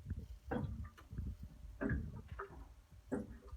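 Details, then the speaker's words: Worcester Junior 24i boiler found at 3 bar with leaking PRV, draining via the opened PRV: irregular bubbling gurgles about once a second, the sound of a flat expansion vessel, which was then pumped up. "the gurgle of a flat expansion vessel."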